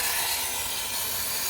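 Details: Fleck 5600SXT water softener in the brine draw step, with the cam depressing the brine draw piston: a steady, even rushing hiss as brine is pulled from the brine tank, with no gurgle or sputter. Drawing normally; the step is set for 1 hour.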